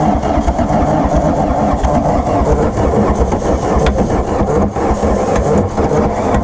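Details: 1981 Volkswagen Rabbit diesel sitting about 15-18 years, after fresh fuel bled through the lines: loud, rough, uneven clatter as it cranks and starts to catch without settling into steady idle; hard start.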